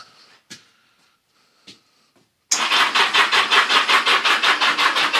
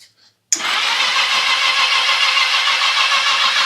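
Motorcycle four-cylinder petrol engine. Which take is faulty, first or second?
first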